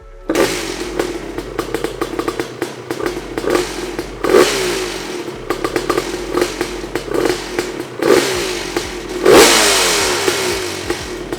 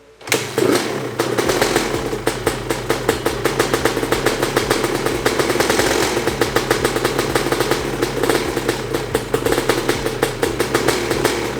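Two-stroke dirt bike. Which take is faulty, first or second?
first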